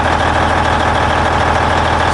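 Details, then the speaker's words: 2003 International 2574 dump truck, Cummins N14 diesel, after replacing leaking main fuel filter feed line to cure hard starting after sitting overnight: steady even idle with firm low rumble, no misses, much smoother than before. "it runs way better too so much smoother oh my gosh what an easy repair it idles so much smoother too nice listen to that baby"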